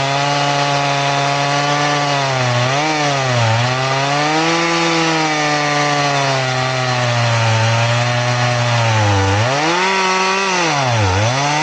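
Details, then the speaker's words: Chain filed to 10 degrees, crosscutting: a steady motor whine sags in pitch each time the bar loads into the wood. It cuts smoothly, without full-chisel grab, but very, very slowly, so it is not recommended. "So will it work? Yes. Do I recommend it? No. It's slow. Very, very slow."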